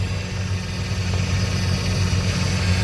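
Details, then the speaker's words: Old Chevy Trailblazer, cold start in freezing weather after sitting a month, fuel low: a low, steady idle drone with a rough rumble underneath that should settle. Owner suspects the secondary air injection system, though it should only run about 30 seconds; unconfirmed. "I'm pretty sure it's a secondary air injection system on this thing it's put warm air but I think it's only supposed to run for like 30 seconds so who knows what the hell that noise is"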